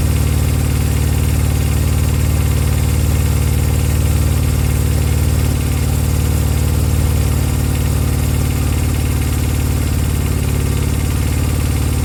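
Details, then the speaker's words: Honda CB200 twin at idle, now starting but iffy: low steady thrum that wavers and stumbles now and then, intermittent rough running; owner suspects the carbs need a good clean, not confirmed. "yeah so so now it will start but it's a little bit iffy isn't it maybe the need a good clean huh"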